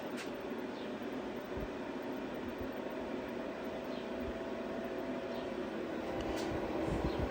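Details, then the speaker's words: Zero Breeze Mark 2 portable air conditioner on a used smart battery that arrived dead, fan on high: smooth, constant airflow rush building slightly, no rattles or scraping; 39°F behind the sensor. "here it ramp up a little bit and we're sitting at 39°"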